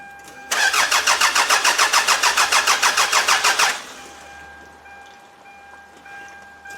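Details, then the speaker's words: 1995 Toyota Camry demolition derby car that suddenly stopped running while being stripped: starter spins engine evenly about three and a half beats a second for three seconds, never catches; crank, no start, cause unknown. "we're gonna basically check all those right now and see what we can do because as of right now this car still does not start"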